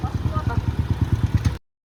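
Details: TMX 125 single-cylinder motorcycle after valve service for a leaking valve that stopped it starting: even low thumping about eight beats a second, no misses or knocks; idling normally.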